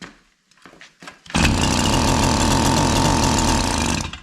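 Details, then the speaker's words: K&S Bike Machine two-stroke engine on older Schwinn bicycle, first start attempt with compression and spark, primed with 32:1 premix via bulb: catches after a few pulls, buzzes hard about three seconds, then dies as primed fuel runs out. "So, let's see what'll happen here. Squirt a little bit in here. It's 32 to1 on here. That was plenty,"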